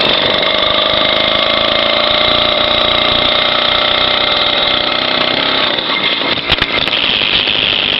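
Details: Small two-stroke motorized-bicycle engine kit on its first start: high, steady buzz with an even beat and no stumbles; the engine is idling normally.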